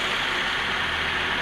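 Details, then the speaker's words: Honda CR-V gen 2 automatic that would not move in D, after transmission gear repair: engine runs smooth and steady with a soft even hiss, no clunks, whine or grinding; automatic transmission now operating normally. "seperti ini sudah halus Alhamdulillah matic nya sudah harus"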